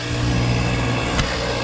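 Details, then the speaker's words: Carrier mini split compressor with blown internals, high and suction pressures barely changing: rough gravelly churning over a low motor hum, like a garbage disposal, scroll heard spinning; compressor failed. "sounds like garbage more like a garbage disposal i would say this compressor is shot not doing the damn thing i heard some spinning scroll spinning in there"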